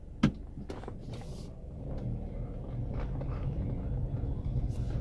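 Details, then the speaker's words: 2.0 Citroën C4 on a test drive after six days of cylinder head repair. Low steady engine rumble; the earlier sewing-machine clatter is gone and the engine sounds normal. "barulho da máquina de costura graças a Deus ficou foi embora né"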